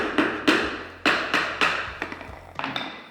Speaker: постучал постучала и плитка вся пустая там вообще пусто